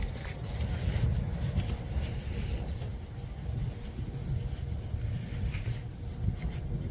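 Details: 2008 BMW 335i idling rough: low, lumpy idle with uneven pulsing beats and some outdoor noise; timing solenoids suspected, with cleaning suggested before replacement; cause not confirmed.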